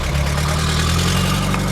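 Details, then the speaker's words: Pierburg 2E2 carburettor engine on a Clipper, just started: steady fast idle with even low drone, deliberately set high because engine struggled to start; brake cleaner being sprayed to find intake flange air leak. "First things first, the idle's high because I set it high because the engine was struggling to start."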